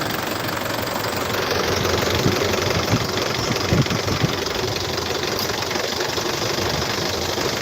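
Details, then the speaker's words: 2014 Isuzu D-Max 2.5 VGS diesel pickup, 70,000 km, first cold start of the morning: steady, even diesel clatter at idle, no misses or heavy knocks, no smoke or vapour; healthy idle. "เสียงเครื่องนิ่มมากเดี๋ฟังเสียงเครื่องกันนะไม่มีควันไม่มีไอครับ"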